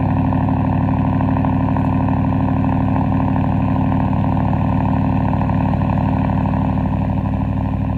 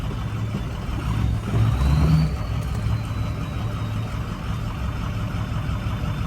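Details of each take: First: 2023 Ford F-150, mostly stock, 4-inch MBRP straight-pipe cat-back exhaust, cold start: loud, deep, steady exhaust drone with even pulses around three a second, no knocks or misses; normal cold start idle, louder than usual. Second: Ford 6.0 Powerstroke diesel that died on the drive home: low idle with an uneven, lumpy, choppy beat and a brief surge, later running fine; owner suspects fuel gelling, cause unconfirmed; rough idle.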